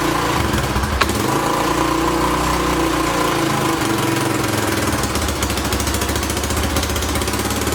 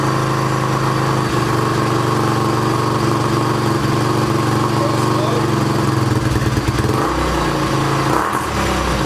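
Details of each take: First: 2006 Honda TRX300EX four-wheeler after carburetor cleaning, fuel on: quick, even single-cylinder putter at a steady fast idle with no misfire or hunting; fired right up, though the float bowl gasket seems to leak. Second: 2006 Honda TRX300EX quad, restarted after carburetor cleaning, fires right up but idles choppy and uneven with rough surges, very loud; oil heard draining back into the bottom end; cause unclear.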